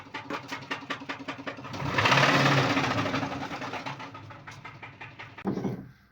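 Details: Cadillac Escalade ESV V8 idling with a sharp, regular knock about three times a second, louder when revved; spun bearing found on teardown, compared against hydraulic lifter tick.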